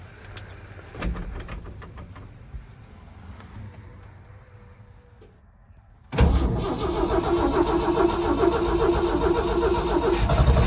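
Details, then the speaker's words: Truck with a Promaxx cylinder head, cold start after sitting a couple months in 25°F weather: quiet, labored cranking for several seconds before catching into a loud idle; low battery, fuel system needing to prime. "Almost. Battery's pretty low. Sounds like the fuel system needs to prime up."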